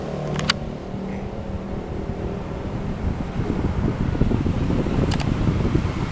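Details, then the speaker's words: Tower fan (blower type), after repair of a totally dead unit, on speed setting 1: steady airy whoosh with a few handling clicks, spins up evenly with fairly strong airflow; normal fan running. "nomor satu di lumayan kenceng ya putaran angin dan embusan anginnya juga lumayan"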